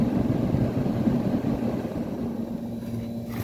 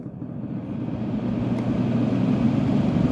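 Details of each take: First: Kenmore (Whirlpool) 10K medium-chassis window air conditioner blowing very cold air. Steady low compressor hum under an even fan rush, with no knocks or rattles. Normal running. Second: Kenmore (Whirlpool) 10k BTU window air conditioner, medium chassis, possibly Tecumseh AK compressor: steady fan drone with loose, uneven low rumble and rattle as the fan spins up on medium and high; fan motor thrust washers badly worn.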